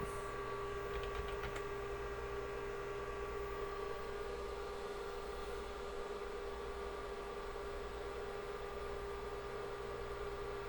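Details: Rebuilt IBM 5150 PC during final assembly and testing, after reconnecting motherboard power and booting from the hard drive: steady, even fan rush with a constant mid-pitched drive hum, no knocking or wavering; normal running.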